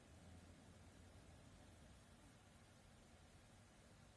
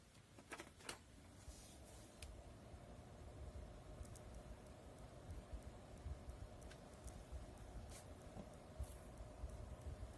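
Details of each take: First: 1500 rpm PC case fan slowed with a 56-ohm resistor; almost silent, just a very faint even low hum from the slowly turning fan. Quiet at reduced speed. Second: 1500 rpm PC case fan powered directly from the PSU without resistor, running at full speed: steady airy whoosh with faint constant mid-pitched hum, before fitting 27 or 56 ohm resistors to quiet it.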